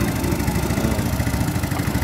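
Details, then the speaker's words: Mio Sporty scooter after replacing timing chain, worn tensioner and rocker arm without overhaul, previously rattling and clattering: steady, even idle putter with no ticking or rattle; engine sounds healthy at idle. "Guys, wala na po yung ingay ng kanyang makina. Guys, nahandar na po yan. Tahimik na po yung head niya."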